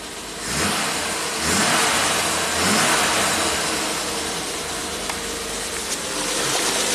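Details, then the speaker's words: 1967 Triumph GT6 parked since 1999, twin Stromberg carbs on fresh ethanol-free gas, slightly warmed with a little choke. Revs briefly then settles to a steady, even idle, no misses or hunting; healthy idle though some smoke and not charging. "Alright, let's lower the idle down a little bit. It's idling on its own. Beautiful."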